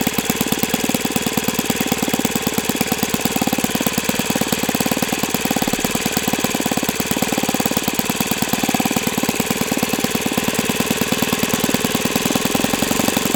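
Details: O.S. FS-91S II four-stroke glow engine on test stand, first run: crisp, even firing at steady speed with no misses or surging. Owner says it feels freer once at operating temperature; healthy four-stroke glow engine running.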